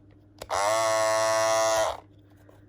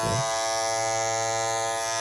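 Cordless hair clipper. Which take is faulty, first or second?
first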